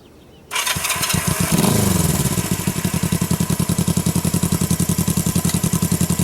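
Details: 1973 Honda CL350 twin, about 14,000 miles, freshly serviced (carbs cleaned, timing and valve lash set, new plugs, MGO cut mufflers): catches first try and settles into a crisp, even idle, no misfires or tapping; normal idle.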